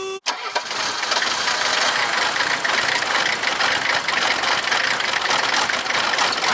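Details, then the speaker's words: 1979/80 Mercedes-Benz 300 SD scrapyard diesel, first start after long sitting: catches and clatters unevenly with stumbles, "farting and kicking"; rough running as fuel primes. "Oh, we gotta shut the key off and turn it back on before it'll... Now she's just farting and kicking here."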